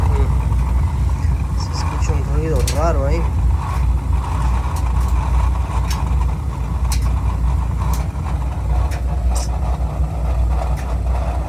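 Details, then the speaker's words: Oil-fired heating boiler that shuts off and makes strange noises, burner just started: steady low roar with a short warbling whistle, running rough and starting to flame out. "Ahí se escucha un ruido. Y ahí se empieza a querer apagar, vean, vean."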